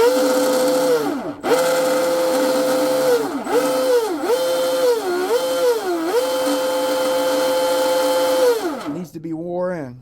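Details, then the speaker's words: New ARTR H26 hydroplane RC boat with a 5000 SRD motor on its second spool-up after ESC throttle calibration, counterclockwise rotation, Teflon-lined drive line: a smooth whine dips and recovers with throttle blips, with no cable whip or chatter. Healthy drive line. "That sounds good. No whip. There's no cable whip. No chatter. That sounds That sounds great. Couldn't ask for a better sounding drive line."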